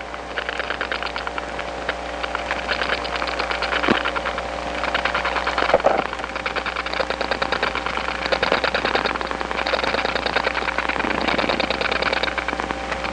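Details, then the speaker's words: Atlanta step-by-step phone line after dialing two digits: steady hum with faint bursts of rapid regular clicking behind it; other subscribers' strong dial pulses leaking between trunks. "this is the sound of other subscribers s dialing away it's being Amplified onto the trunks because this is a step-by-step environment"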